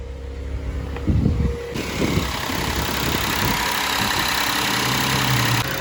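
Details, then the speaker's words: 2016–2020 Kia Sorento 3.3 V6 after spark plug and ignition coil replacement: brief crank and catch, then settled even idle hum, no misfire stumble; runs normally. "Sounds just like a normal Kia engine."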